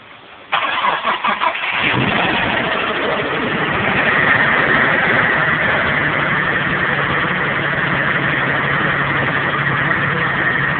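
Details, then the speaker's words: Engine bearing knock on cold start, Stealth twin turbo (VR4) with low oil pressure; cranks, catches and idles with rough uneven knocking, quieter once warmed up; bearings later found worn, camshaft snapped six months later, engine replaced. "So, and actually I think it's a lot quieter once it's warmed up."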